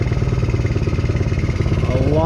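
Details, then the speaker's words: 125cc Chinese kids' ATV after carb clean and new spark plug, idle adjusted down, air filter off: quick, regular even putter picking up smoothly with throttle, revving freely, much smoother with more RPM than before; normal running. "better than it was before a lot smoother getting way more RPM out of it"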